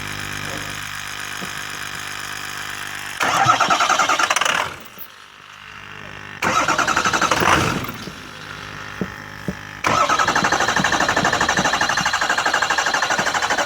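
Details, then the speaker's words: 6.0 engine that is hard to start: long stretches of cranking before it catches, then it stumbles and bursts unevenly. Owner suspects fuel blockage or fuel draining back. "And then the next day I went to crank it again and it took forever to start it. So there's something wrong somewhere."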